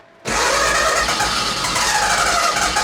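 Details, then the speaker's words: Mazda FD RX7 drag car, two-rotor 13B-REW on methanol, mechanical fuel pump only, engine already warmed, started in park: catches instantly off the key into a loud, even, buzzy idle with no misfire or stumble. Normal rotary start. "You can see it starts really good. Off the key, no problems."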